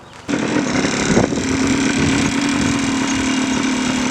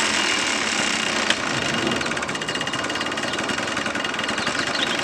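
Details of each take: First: 1989 Yamaha Blaster 200 two-stroke, revived after 15 years sitting, after carb adjustments: small two-stroke buzzing at a steady, even idle with no surging or stalling; holds idle fine, sounds healthy. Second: 1989 Yamaha Blaster 200 two-stroke ATV, revived after sitting 15 years, now warm. It burbles unevenly with a ragged, blubbery beat, running extremely rich. The jets are set for sea level up to roughly 2,000–3,000 ft and the machine is running at 3,800 ft.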